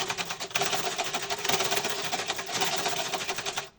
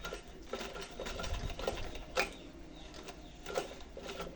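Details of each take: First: Sewing machine before servicing, faults not described by its owner: fast, harsh clattering chatter with sharp high ticking while running, far noisier than it should be. Cause unclear; the technician plans to check the parts first. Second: Household sewing machine on a test stitch after servicing a jammed machine and checking tension discs: even, quick clatter of needle and feed at a steady pace, no grinding or binding; stitches normally.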